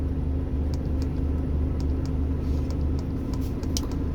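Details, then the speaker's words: Volvo FM13 Smart Eco 400 hp truck diesel, idle set down from normal ~600 rpm to about 500 rpm: deep, steady rumble with slow, even beat, no knocks or misses; healthy low idle. "เมื่อสักครู่นี้ผมรู้สึกว่าผมตั้งได้อยู่ประมาณ500นะครับประมาณนี้นะครับ"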